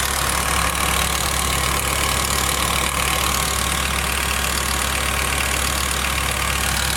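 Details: BMW E60 M5 S85 V10 idles steadily with a light, fast ticking, about three ticks a second, over a low hum.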